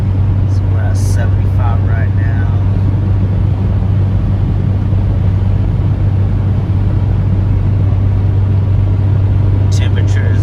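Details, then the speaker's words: 1999 Honda CR-V B20 after rebuild for overheating and oil leaks, highway about 68 mph at 3,000 rpm: loud steady exhaust drone from aftermarket muffler, no knocks, surges or whines, temperature steady, no check engine light; normal cruise. "And the car is a little loud, if you guys can hear it when we're coming up, because the car does have a aftermarket muffler installed on it."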